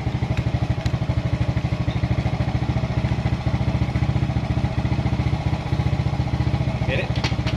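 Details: Suzuki Smash motorcycle after a regulator/rectifier (kiprok) was fitted, charging about 13.6 V: even single-cylinder putter at idle, steady regular firing with no misses or knocks; running normally.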